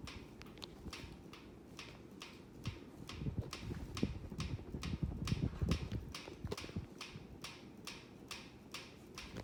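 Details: Hampton Bay Huntington III ceiling fan running, recorded February 2024: steady even sharp clicks about three a second above a low room hum, keeping time with the fan's rotation; rhythmic clicking, cause unclear.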